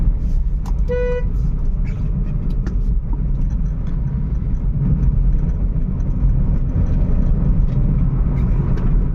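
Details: Volkswagen Polo/Vento after repair for a cylinder 1 misfire (P0301) with EPC light at speed; vacuum pipe replaced. Road test at speed: steady, even engine drone under road rumble, no misses, no warning lights.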